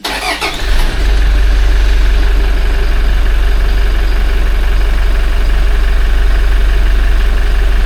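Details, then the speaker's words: Toyota 1GD-FTV diesel, 40,920 km, just after an oil change to Ravenol C2: cold start cranks and catches quickly, then settles to a steady idle without the usual startup timing-chain rattle; normal cold start. "Прошел так четко. Обычно на запуске цепь обрядывает. Что-то даже этого звука не услышал, потом на с половиной, наверное."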